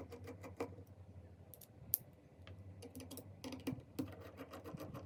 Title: Seagate Hard Disk Drive Suddenly Broke - Constant Knocking Sound